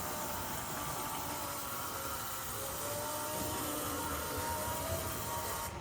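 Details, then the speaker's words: HO scale model locomotive that sat long unused in box, first test run: steady loud hissing whir with faint thin tones; noise later went away on its own as gears broke in. "spite of it being pretty loud and everything, I think it runs quite good."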